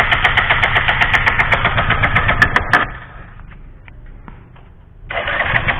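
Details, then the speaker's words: Bajaj Pulsar 135 with lost ignition; fuel and ignition coil checked good, CDI/regulator next to check. The starter cranks evenly at about four pulses a second, stops, cranks again, and the engine never fires. Crank, no start. "Hai jadi bisa-bisa motor Anda seperti ini enggak bisa hidup tadi juga dicek udah koil dari motor sekuter ini tetep kondisi bagus lancar baik aja"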